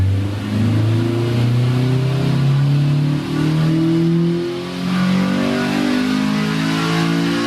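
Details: 2000 Honda Civic Si (EM1) making a repeat full-throttle dyno pull; the note rises smoothly with a brief dip where VTEC switches over and stays clean at high revs, repeating about 139 on 100.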